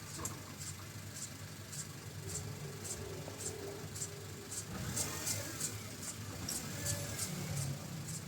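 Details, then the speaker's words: Honda Civic FD, right front wheel spun with the engine running after the wheel bearing was replaced: a light, hissy scrape about twice a second persists; the mechanic suspects the brake back plate, bent or with a trapped stone. "Mukhang may kulang ako sa pag-check up na ginawa ko mga boss sa pakiramdam ko parang nanggagaling yung ingay dito sa back plate."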